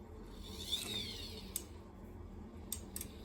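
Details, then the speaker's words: Burnham ES2 gas boiler with no heat and defective zone valve: quiet room with sharp isolated clicks about a second apart as the zone valve lever is worked manually, the end switch clicking. "hear that click and then the second click that is the little lever right"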